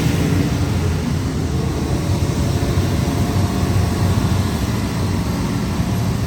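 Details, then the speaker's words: BMW E30 with an LS3 V8 swap, start at the speedshop: a deep, steady low burble settling at idle, even and strong with no knocks or ticks; it runs fine. "Ça c'est le bruit de démarre. Là ça m'excite là j'ai le bon bout, tu vois."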